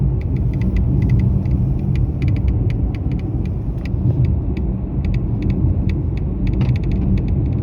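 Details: Mercedes-Benz E-Class W213 under warranty, intermittent noise dealer failed to find after about 8 visits, while driving: fast sharp dry ticks in quick bursts over steady road rumble; dashboard crackling rattle.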